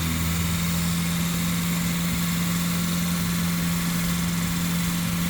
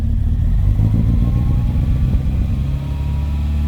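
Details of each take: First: Volvo 940 just after first start following a camshaft and valve spring upgrade. It recovers from three cylinders to a steady, even idle on all four, with no stumble or ticking. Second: Volvo 940 at first start after a camshaft and valve spring upgrade. An uneven, lumpy idle with an irregular stumbling beat, initially running on three cylinders before picking up the fourth.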